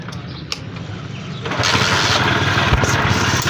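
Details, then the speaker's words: Chinese 70cc-class bike (CD70-type), owner says noise began after a jump, engine started and idling: after a quiet moment it catches, then a light fast ticking rattle rides over the idle, heard from the engine, like timing chain noise; suspected worn timing chain tensioner. "Indian से आवाज आई है हल्के फूल आज जी तरह timing चैन की होती है लेकिन उसको जज करेंगे"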